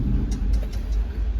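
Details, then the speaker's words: International truck idling: light, sharp ticks about every fifth of a second over a deep idle rumble; one lifter suspected, possibly a collapsed lifter or a stuck or bent valve, and it also pops back through the carburetor under acceleration. "hear that tick and I gotta fix that I've got that one lifter you're saying about"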